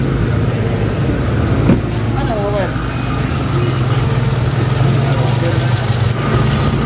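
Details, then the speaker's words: Toyota RAV4 after repairing wire that caused crank-no-start: steady even low idle, no misses, knocks or stumbles; normal idle. "ayan na, start pa siya. So yun ang problema, yung wire."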